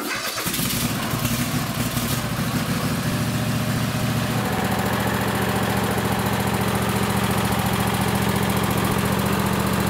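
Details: Craftsman lawn tractor with a 26 hp Kohler Courage V-twin, after installing a coil conversion kit to fix running on one cylinder. Catches quickly and settles into a steady, even run with no misses or knocks. Normal running.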